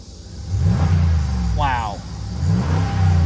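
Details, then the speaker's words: Hail-damaged 2019 RAM 1500 Big Horn, Hemi V8, low on fuel. The engine revs cleanly through two quick blips and settles back smoothly, with no knocks, misses or smoke, and it is dry underneath: healthy engine. "actually also like take a look at the engine bay i mean everyone's stopped it runs very good very good"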